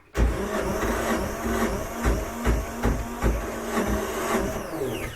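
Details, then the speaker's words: 1978 Yanmar YSB8 marine diesel in an abandoned sailboat, sat 10+ years flooded; carburetor cleaner in the intake: strong, steady cranking at two to three compression beats a second, almost catching but never running; fuel pump has no fuel. "Definitely strong. Just about catches. Yeah. I think there's smoke down below. Let's see. Yeah, that's a fuel pump that has no fuel."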